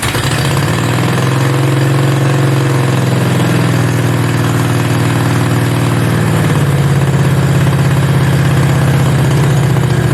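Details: Mini bike V-twin; steady even low burble, smooth settled idle, no misses or knocks; normal healthy idle before first ride.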